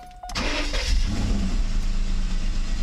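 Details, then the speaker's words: Mercedes 600SL starting while its E-gas throttle control module is tested before a throttle body rebuild. A brief crank, then it catches at once and idles smoothly; the ASR light is not lit and the throttles work. Normal start. "right up and throttles seemed to work just fine"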